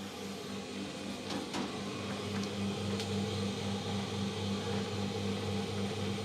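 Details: Electrolux clothes dryer just after fan replacement, running empty: quiet, steady low hum with an even drum rumble and only a couple of light clicks; running smoothly, fixed.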